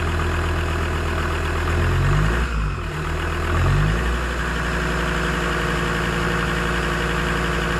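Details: Land Rover Discovery 2 TD5 diesel after a fuel filter change, primed by cycling the key three times: catches after a brief crank and settles into a steady, even idle with a smooth low clatter, no stumbling and no leaks; normal idle.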